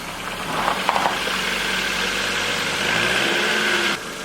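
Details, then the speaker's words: VW Golf Mk4 with a rebuilt engine: the starter cranks at an even beat for about four seconds but the engine never catches, because the ignition had not been plugged back in after the rebuild. "Basically, we hadn't had the ignition put back plugged in, so yeah, here we go."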